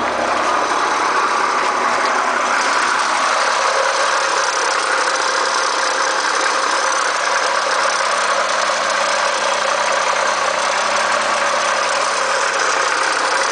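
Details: 1990 Acura Legend idling with an irritating dense, fast rattly clatter over a steady hiss; owner asks what causes it; cause unclear.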